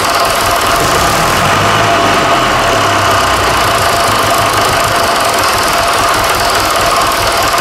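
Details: Fordson Super Major tractor, first run after engine swap (bought seized non-runner), new front tyre and throttle linkage fitted: loud, steady diesel clatter at even speed, no misses or heavy knocks; engine running healthy.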